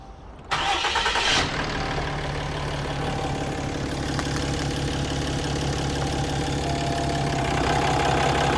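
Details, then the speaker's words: Cummins diesel work truck, 239,000 miles, no check engine light, power-braked: rough uneven puffing tick over clatter; squeal began only with the exhaust brake, then worsened to nearly constant; exhaust manifold leak. "just think, based off the customer's description, that it was an exhaust leak."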